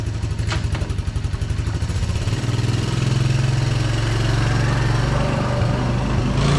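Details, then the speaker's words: 1982 Honda ATC 200 "Big Red" single-cylinder after new bearings and seals fixed chattery drivetrain noise: it pulls away and revs smoothly on a test ride with steady firing and no drivetrain chatter. "Hopefully all that chattery drivetrain noise is gone now, and it very well should be, because, well, we aren't dealing with these anymore."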